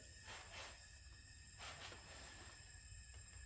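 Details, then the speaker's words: Acura RSX K20 mixing oil and coolant, leak-down test on cylinder 3: steady hiss of air with slow surges, escaping into cylinder 4; oil-wet number 3 plug and boot; head gasket likely blown between cylinders 3 and 4. "oh, it's pushing air out of number 4. Yeah, I could feel the air coming out of number 4. So we got a busted head gasket, probably between 3 and 4 right here."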